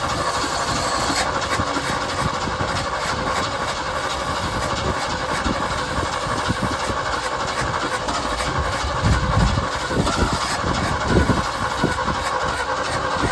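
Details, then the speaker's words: 1971 Ford F250 V8, started after 9+ years sitting, in neutral: steady, even, smooth idle with no tapping or misses, some hiss in background; idling really nice. "Yeah, it's actually idling really nice. It's smooth."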